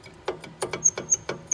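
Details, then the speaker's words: 2005 Land Rover LR3 rear brake caliper rocked by hand: short sharp squeaks about three a second. Owner suspects the dry, unlubricated slide pin is binding. "i don't know if you guys can hear the squeaking it is free but it's tweaking so i'm assuming it could be binding up on that if it had lube in there it wouldn't squeak"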